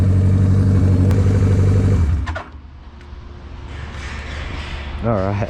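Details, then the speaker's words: GS750 four-cylinder cafe racer on its first ride after a carb rebuild, dyno tune and new custom exhaust: a strong, smooth rising roar for about two seconds, then fading as the bike pulls away. Clean, healthy acceleration, quicker than expected. "that's quicker than I thought. Not bad. Sounds sweet as well. Sounds like a jigsaw, hey?"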